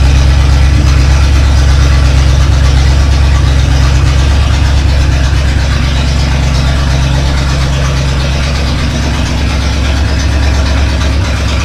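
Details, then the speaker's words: Rebuilt Chevy 283 V8 at first start after installation in a 1965 Nova wagon: a loud, lumpy idle with a raw, unmuffled bark because one exhaust side is uncorked, awaiting exhaust shop work. Open exhaust on one bank. "yeah that sounds terrible one side uncorked anyway well it's up and running at least"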